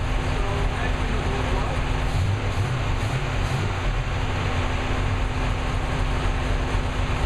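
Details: New V8 with a Lunati 60140 solid cam, at operating temperature after hot lash adjustment from about .010 to .014 intake/exhaust: steady, even idle with a light, regular valvetrain patter and no loud clatter. Lash correctly set and healthy.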